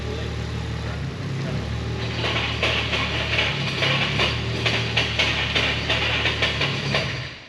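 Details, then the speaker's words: K24-swapped Subaru Impreza: engine idles with sharp uneven metallic clicks from the clutch fork moving because the clutch hydraulics had not yet been bled. "Okay, so scary noise was just the clutch fork coming up because we hadn't bled the clutch yet."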